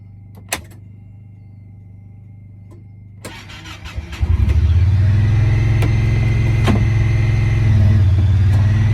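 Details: 2017 Honda Pioneer 1000-5 at 1200 miles with check engine code 9-2. Starter cranks briefly, then the engine catches and settles into a high, slightly uneven idle. Cause was broken factory over-crimped wires at the IACV plug on the throttle body; plug replaced and recrimped.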